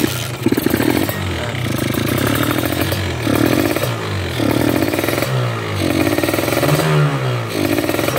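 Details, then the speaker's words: Kawasaki Ninja (stock engine) two-stroke running a new PWM 34 carburetor being set up, revved in repeated blips: pulls heavy and sluggish at low rpm, then clears and climbs crisply at mid and top; low-rpm bog from carb setting. "Agak lumayan enak di putaran tengah dan atas, tapi bawah masih ada berat dikit ya."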